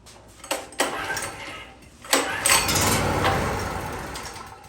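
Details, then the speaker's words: 2014 Black Max generator (3550 running / 4550 starting watts) with fuel on: pull-start catches with sharp firing bursts, runs a couple of seconds, then fades and stalls; carburetor work planned. "Alright. As you hear, it wants to start, but it's having, it's not going to stay running."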